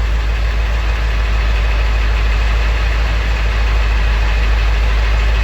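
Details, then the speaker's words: Ford 7.3L Powerstroke diesel 1-ton dump truck, just started after injector harness/valve cover work, needed to rebuild oil pressure to start: heavy idle with low, slightly uneven pulse about three beats a second, still a little choppy; ICP code still present. "Still is a little choppy."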